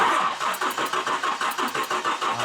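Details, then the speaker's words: GMC Typhoon turbo that sat 21 years, cranking during compression test with fuel pump fuse pulled: even cranking about five beats a second with a raspy hissing edge each stroke; owner suspects compression leaking past an unseated plug or a plug wire arcing, unsure. "Okay, stop. There's some weird noise coming out of here. Almost like compression's leaking out, like a plug is not seated or something. I'm not exactly sure what that noise is."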